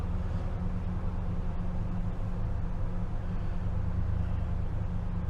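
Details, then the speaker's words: 2012 Ford F-250 6.2L gas V8, 274,767 miles, cold with RPM raised and the battery light on: a steady, even high-idle rumble with no ticking or knocking. The gauge falsely drops to zero at idle (sending unit suspected). "There, well, battery light came on. The RPM's up right now."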